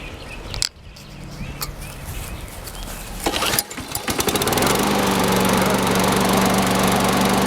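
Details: Sears Craftsman mower model 917.370610, final start after wash, fresh oil and oiled wheels, air filter still due: pull-start rattle, then a steady, even drone with no stumbling; running healthy.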